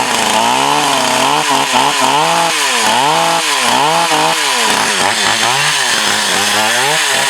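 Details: Used Echo CS 4500 chainsaw, years on the shelf, carb rebuilt, high-speed needle slightly adjusted: a crisp two-stroke howl dips and recovers as it bites into wood and clears cleanly each time; it now runs and cuts well.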